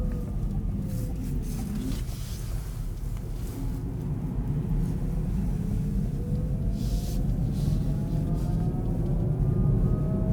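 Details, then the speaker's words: Kia e-Niro EV driven at about -35°C with the battery around -20 and -13°C: steady air-raid-siren-like drive motor whine rising and falling with road speed over road rumble, pitch dropping under regen braking; noisy electric drive motor. "oh did you hear that weird noise oh that motor's noisy as hell sounds like a world war two clarkson siren air raid siren"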